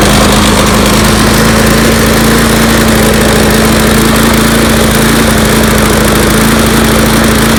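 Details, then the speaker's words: Troy-Bilt TuffCut 210 self-propelled mower (model 12A-566N063), Briggs & Stratton 6.75 engine, primer start, new air filter: loud single-cylinder drone with a slightly stumbling low thump; runs a little rough, improving once warmed up, cause unknown. "you see it runs a little weird after it warms up it seems to get better"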